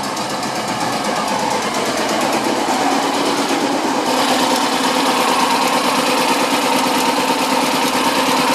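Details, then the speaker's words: BMW Isetta 300 single-cylinder running for the first time after restoration work, on choke, low on fuel: steady idle with quiet exhaust, no knocks or ticks; sounds healthy. "i'm pretty happy with that sounds good there's no knocks the exhaust is quiet"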